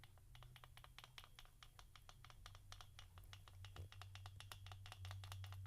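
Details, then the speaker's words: Nitro RC car with a modified Picco .28 engine, gear mesh being checked: faint, quick even ticking about four times a second over a low hum. That tick means the mesh is set correctly. "that sounds like yours Raja I guess I got mine right then right that's how it should sound people just like Raja tell you that have that tic"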